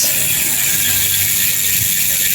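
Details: Merida bicycle rear hub that had lost its ratchet sound, after fitting a new freehub spring: a fast, even, high-pitched ratchet buzz as the wheel spins freely, with the pawls engaging crisply; the freehub sounds healthy again.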